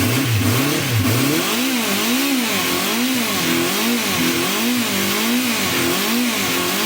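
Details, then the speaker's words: 1974 Honda CB350 Four, pilot screws set 1.5 turns out. Revs surge and hunt and only hold on full choke; it won't run off choke. Pilot jets are suspected blocked on some or all carbs. The owner says it runs okay once warmed up. "So it's not running at all without choke on. And you can only rev it up when it's on choke, so pretty sure the carbs are blocked. Pilot jets are probably blocked on a couple of carbs, maybe all of them."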